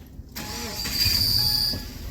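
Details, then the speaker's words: 2017 Subaru Crosstrek at idle: fairly quiet, then a sharp, steady high-pitched squeal that changes with slight clutch pedal pressure; clutch release (throwout) bearing completely worn, car barely shiftable. "all right so you notice it's fairly quiet although starting to make noise but the second you apply any clutch pedal pressure oh dear try just starting it and doing just a little bit of clutch pedal you'll hear the noise changes"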